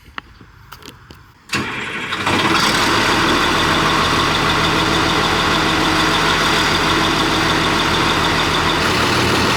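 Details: Heavy equipment machine start-up to check the charging system: starter cranks briefly, then the diesel catches cleanly and settles into a steady, even idle with no misses or knocks.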